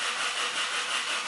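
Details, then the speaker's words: Car that won't start: starter churns at about three even pulses a second and rotates the engine, but nothing catches; cranks without firing, no start. "Engine, no any engine runs. Only starter runs and rotates this engine."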